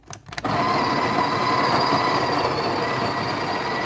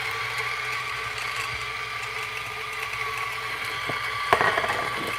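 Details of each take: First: Breville Barista Express built-in grinder, about five years of use: a few clicks, then a steady, strained, fairly low grinding drone; weak, tired grinder motor, grind amount now set at 6 o'clock vs 3–4 before. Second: Coffee grinder: even motor whine with a light, steady grinding rattle holding its pitch; sounds like a normal separate grinder, healthy.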